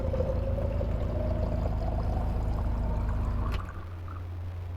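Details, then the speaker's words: Electric water pump, mounted at the back of an overland Jeep, feeding filter and UV lamp at about 3 gallons a minute: steady low hum with a faint rising whine. Normal pump operation. "So turn that on and you can hear the pump. It's back there."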